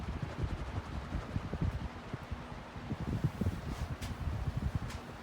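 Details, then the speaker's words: Hunter Caribbean Breeze ceiling fan made 5/2013, on high speed, which the owner believes runs faster than the western design: a steady low whoosh of air with gentle wave-like swells and no ticking or wobble, running smoothly. "and here's high speed you can probably hear it on this speed i'm pretty sure this one goes faster than the western design it doesn't do a bad job"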